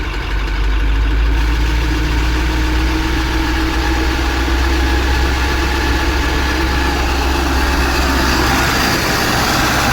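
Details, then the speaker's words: Maxxforce 7 diesel truck at slightly raised idle, high-pressure turbo cartridge just replaced: squeaky, chirping squeal riding over the engine, not the turbo but an exhaust manifold leak. "bit you you guys hear the squeaking the squeaky noise many of you will think that's the turbo uh but it's not that's actually a leak and exhaust exhaust manifold"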